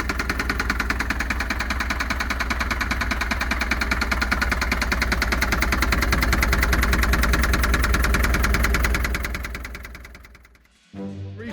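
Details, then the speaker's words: Long-stored Land Rover Series III diesel: sharp regular knock, about two hundred a minute, over a rough idle until shutdown; revs poorly, owner suspects top-end knock, never diagnosed. "h it runs like a Bag of Nails it actually idles on its own it doesn't rev very well and I'm not sure what that knocking is but it sounds like a top end knock"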